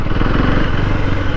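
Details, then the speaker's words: KTM Duke 390 Gen 3, after second service, with suspected coolant leak (owner unsure if coolant cap loose or overheating): low, uneven engine pulses surging and stumbling at low revs; low-rpm jerking, cause unknown. "చూడండి అగో జలక్ ఎట్లా ఇస్తుందో vehicle. So ఇదే నేను చెప్పబోయే problem అది."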